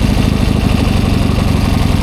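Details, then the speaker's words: 1972 Triumph 650 Bonneville twin, last taxed 1984 after long storage, idling with the choke set off: fast, even low thrum with a steady beat, no stumbles or popping, now running cleanly. "Yeah, that sounds a lot better now that the choke's off."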